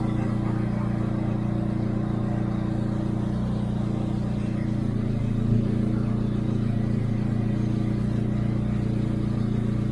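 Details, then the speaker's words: Turbocharged Hyundai Genesis warming up toward temperature while burping newly filled HKS Super Coolant after a flush; steady, loud, droning idle with deep throaty roar and no misses, because no wastegate is fitted. "It sounds like that because I don't have my wastegate, and hey, it's okay."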